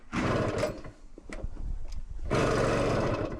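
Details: 1964 Yamaha Omaha Trailmaster after a spark plug check, plug possibly fouled from the last run: uneven bursts of firing that die away and pick up again; engine trying but not catching, getting closer.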